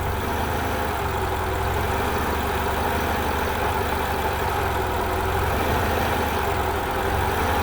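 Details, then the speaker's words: 1990 Honda Accord 2.2 4-cylinder at idle, before repair: idle note sags and recovers as wiggling the alternator harness makes charging cut in and out, audibly changing alternator load; bad connection in alternator harness or alternator. "so now I'm charging but if I'm wiggling that thing around see that drop down you can even hear the load changing on the alternator on the engine just by wiggling it"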